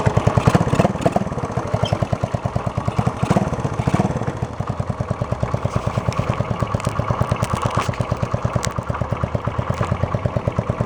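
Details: 1972 Honda SL125 four-stroke single with new battery, cold start on handlebar choke: even putter at about seven beats a second, holding steady without stumbling; normal idle.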